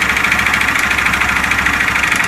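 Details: 2014 Honda Fan 150 at idle, noise began about a week after recent work: steady fast metallic clatter over the small single-cylinder engine, a piston slapping; piston slap.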